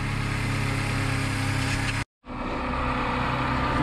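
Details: Cheap old Mercedes started after a jump from another car (weak battery, electrical issues); steady, even idle with a smooth low pulse and no knocks, ticks or misses. Normal idle.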